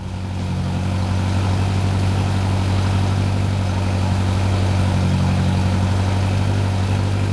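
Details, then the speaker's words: Mercury Pro XS 115 HP 2.1L outboard on Mako 18 LTS, warm after 100/300-hour service and lower unit reinstalled, shifted forward and reverse: steady even low drone, no grinding or clunking; healthy. "I'm making sure that works properly that we didn't knock anything out of place when we remove the lower unit there's no grinding there's no clunking everything sounds good to me"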